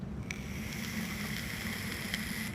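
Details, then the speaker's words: Vape coil on a Crown tank: soft, even sizzle with no pops or spitting; quiet clean firing. "so I got to thinking huh is that right grab my crown tank hit it quiet"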